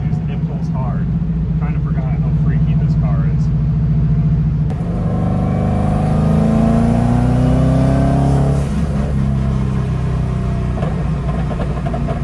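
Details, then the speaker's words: 300hp Subaru WRX-engine-swapped VW Beetle, at operating temp after fuel filter replacement, on road: engine drone climbing smoothly, hitting 17 psi boost, no stumble or hesitation; healthy acceleration under boost, fixed. "We're at operating temp. We're hitting 17 psi boost without any issues"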